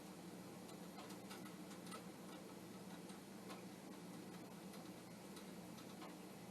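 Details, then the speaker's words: Commodore 1541 floppy disk drive driven by a VIC-20, formatting a blank disk: irregular head ticking and clicking over steady motor hum with funny squeaks; head seems to move, drive works only somewhat, cause not confirmed. "So as I listen, I do hear some funny squeaks, but the head, somewhere in there, the head is, I think, moving."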